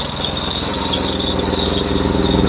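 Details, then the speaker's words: Mercedes, cold start after a fuel pump replacement, filmed at the engine. A steady, piercing high squeal sits over the cold idle without changing pitch; a slipping belt is suspected. "You got some belt tweak."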